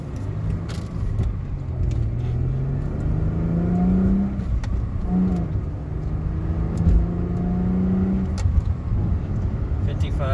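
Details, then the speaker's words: 2007 Chrysler Crossfire being driven: engine note climbs, drops cleanly at each shift and climbs again through the gears, no grinding or clunks; normal smooth gear shifts. "Alright, so this is the video of the car. So you can hear it shifting through the gears."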